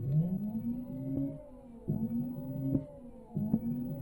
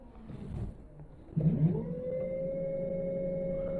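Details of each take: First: Yadea EM-163 Harrier 60V electric moped before battery replacement: rising motor whine that sags and cuts out in short bursts; it spins freely but any weight makes it quit, tired batteries unable to hold the motor under load. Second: Yadea EM-163 Harrier 60V electric moped after battery replacement, powered on: motor spins up with a clean, steady whine that holds its pitch, with no grinding or stutter; it sounds and feels healthy.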